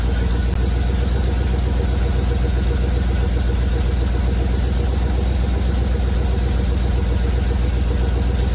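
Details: 1971 Chevrolet C40 truck V8 after carb cleaning: smooth, regular idle with deep even pulse about four beats a second, no misses; running really well, blow-by minimal.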